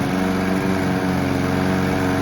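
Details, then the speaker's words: Honda Izy and Mountfield Empress 16 petrol lawn mowers run dry for winterising, Mountfield with replacement tank: even, steady small-engine drone with no misses, knocks or surging; both running normally. "They both sound absolutely amazing. I love both of these machines."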